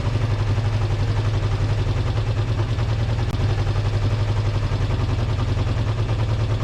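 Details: Kawasaki GPz400R track bike four-cylinder with carb dripping fuel: even low thrum broken by small irregular spits and stumbles, a slight misfire; HT leads checked correct, owner suspects bad fuel left in the tank a couple of years.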